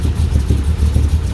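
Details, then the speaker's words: 1985 Dodge D150, 408 stroker based on a 360 Mopar small block, Indy MA-X iron heads, Comp Cams roller cam, Edelbrock Air Gap, Holley 850 carb, cold first startup: deep, uneven, loping rumble at about 400 rpm. Rough, low cold idle. "I could zoom in on that yeah I can zoom in on it and it looks like it's trying to run about 400 RPM"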